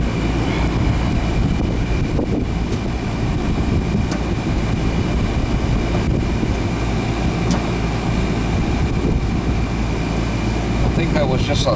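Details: Newer Ruud AC condenser, installed about 2020, not cooling until a loose wire connection was fixed, capacitor good: deep even compressor hum, steady fan rush, faint constant whine, no cycling or buzzing, cold air; normal running.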